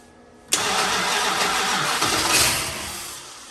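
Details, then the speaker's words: 1968 Dodge Monaco 500, rebuilt 440 Magnum V8, after getting power to the feed wire and holding it to the coil: one sharp kick then a few seconds of ragged sputtering fading out without catching; getting closer to starting. "that's what we wanted to hear oh we're getting closer it's butter sputtered"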